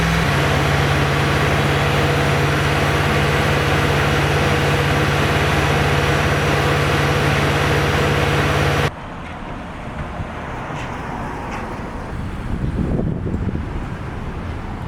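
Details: Land Rover Discovery 2 petrol engine, rebuilt and at first start after new starter fitted: even, steady idle with regular beat and no knocks, misses or stumbles; engine sounds healthy.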